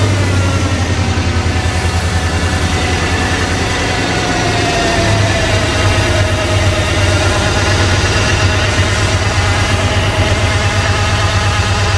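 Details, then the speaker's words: Long-sitting OBS truck, first run after revival, idling with mass airflow sensor unplugged (dies when plugged in), oil pressure good, temperature building: steady but lumpy idle with uneven low thump and wandering beat; rough idle, likely misfiring. "Okay, so we've got it idling now. But whenever we plug in the mass airflow, it'll die. And it's still really rough."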